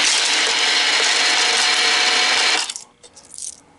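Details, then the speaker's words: American Changer green stripe coin hopper after a rebuild with gearbox cleaning and regreasing, running to spread the grease then dispensing four coins: brisk, even whir with metallic rattle, coins clink out cleanly. Normal dispensing. "what i normally do on the first one is i let the hopper run get that grease spread out now we're going to put four coins in"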